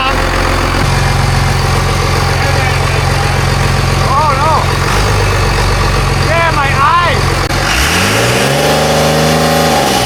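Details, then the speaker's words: Cummins-swapped Volkswagen bus diesel: deep, steady clatter settling into an even idle, then a smooth rev rise and fall. The engine runs healthy. "Why is that thing so much more ripe than a 12? Man, my eyes are watering, son. Oh, but she runs mint."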